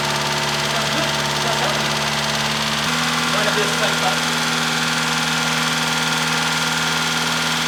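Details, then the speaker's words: Proton Satria engine idling a bit high after lifters were removed and cleaned out; fast light ticking about two a second from empty hydraulic lifters, expected to fade as oil pressure builds. "now she's also very Ticky at the moment because remember I pulled out the lifters and what's it called um and clean them out completely so the oil pressure needs to build that back up on them once that happens it should be good again"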